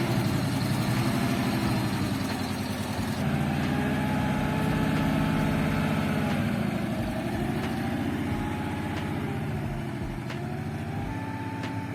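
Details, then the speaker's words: ZAZ 968M Zaporozhets on a test drive after converting to Lada 2109 front disc brakes: steady rhythmic knock about four per second over the engine rumble; the driveshaft sits too deep and hits the suspension arm, and a spacer was ordered. "Hear that knocking? Yeah, hot to miss. Turns out the drive shafts hitting the suspension arm. It's sitting too deep."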